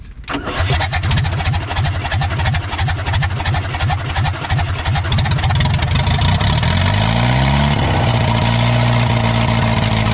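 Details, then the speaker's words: 1980s Komatsu D31S track loader, Cummins 4D105-3 diesel, sat 5-10+ years, partly disassembled by others, first start after reconnecting fuel pump; several seconds of uneven cranking, then lumpy, shaking idle that never evens out; rough idle, cause unconfirmed. "I did not think this was going to start when I first looked at it a couple weeks ago. It even idles, although it's shaking the whole earth."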